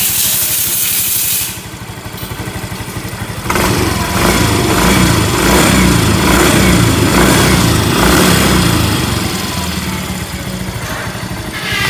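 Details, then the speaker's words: Yamaha Mio M3 scooter engine once somewhat warm, revved in bursts: harsh, rattly ticking over the exhaust growing louder with throttle; barely heard when cold. "suara kasar ya saat udah agak panas suara kasar ngelitik ya teman kita dengar dulu ya suaranya kasarnya seperti ini ya"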